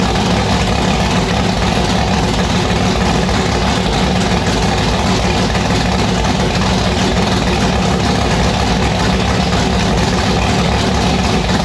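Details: Annabelle's V8 on E85 just after the returned 1150cfm Pro Systems carburettor was installed and fired: loud, deep idle with heavy uneven loping beat and strong low rumble, sounding violent; rough lumpy idle.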